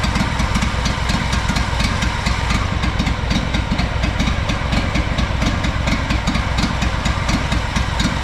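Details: Honda 4118 riding mower with a GXV610 V-twin fitted with a new starter and two new coils after mouse damage, with the coil timing checked. It runs low and uneven, with chuffing and misses; muffler to be tested next.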